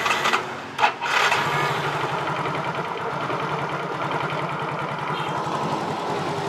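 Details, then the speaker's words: Motorcycle fitted with an imitation (fake) IC part: catches and runs with a fast thin wavering beat that never settles. Rough running from fuel starvation. "kalau ini kita pakai ya hidup-hidup tapi terganggu tuh sekarang Bagaimana ini adalah produk tiruan"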